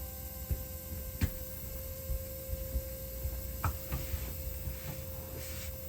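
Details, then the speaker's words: Ram 1500 3.0 EcoDiesel after fuel filter replacement, key-on with engine off to purge air: faint steady electric hum with light clicks, fuel pump priming normally while checking for leaks. "So you can hear the fuel pump running there."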